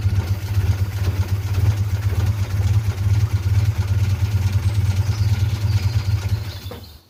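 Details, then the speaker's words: 1947 Austin 16 off the road since 2008, first start attempt: steady low cranking at about two turns a second that never fires; fuel pump was not pumping fuel, so it was removed for a rebuild. "So, it um obviously wasn't pumping any fuel through, but uh it's not terrible on the on th"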